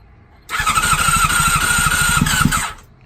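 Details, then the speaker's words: Honda CBR600RR with fuel issues, awaiting a fuel pump replacement, first start attempt on a new battery. The starter whines about two seconds with quick compression chuffs and almost catches but never fires. Cause suspected, not confirmed. "Sounded like she was about to start there for a second."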